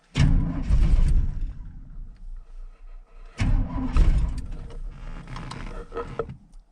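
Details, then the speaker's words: 1983 Chevy C10 small block with a big cam and a tune not meant for easy starts, no choke on the carburetor, snowy cold weather: two long stretches of slow, uneven cranking that never catch until fuel pressure builds; hard cold start. "it takes forever square buddy doesn't have a choke and it's got a pretty good sized cam and it's the tune it's not really meant for you know easy starts"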